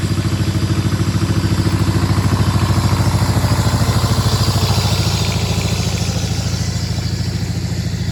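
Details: Power Pony with a two-cylinder Perkins diesel, after fuel system bleed (owner suspects petcock was left off): slow, even chuff around 160 beats a minute, steady and regular throughout; normal running.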